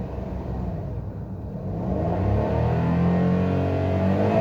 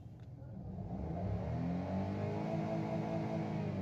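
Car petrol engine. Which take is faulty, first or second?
first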